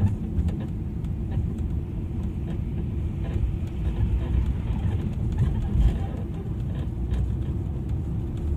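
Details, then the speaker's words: 15-year-old Audi A8, driving: irregular dull thumps under road rumble from worn, loose ball joints on the two right-front lower control arms; replacing both arms cured the noise. "第一个异响大家都看到了，是底盘右前方有两个下支臂那个球头磨损了旷了，然后就会产生异响，然后换两个摆臂这个异响就搞定了。"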